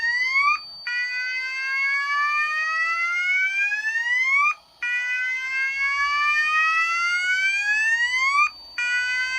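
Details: Pertronic F-4 fire alarm control panel system test: loud rising whoop sweeps repeating about every four seconds with brief gaps; sounders in alarm from an activated heat detector, before the panel is silenced.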